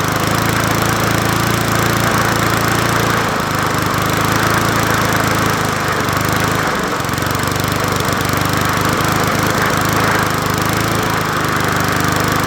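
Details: Old free Murray 20" push mower #20201D, running with a substitute air filter fitted; loud, rough, uneven engine rattle holding steady speed; crankshaft found bent and needing straightening — bent crankshaft.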